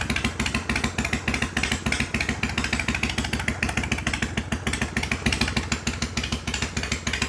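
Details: 1993 Harley-Davidson FXDWG Dyna Wide Glide Evo, not run in years, after carb cleaning and adjustment, choke off, in shop: even loping idle about three beats a second, steady, no misses or stumbles; sounds good.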